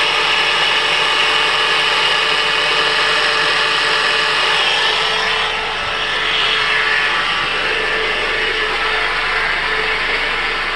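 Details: 2005 Mitsubishi Outlander, 2.4 L four-cylinder, manual: a thin whine over the engine rising in pitch and loudness with RPM, in gear or not; alternator already replaced with no change; owner suspects a belt pulley, unconfirmed.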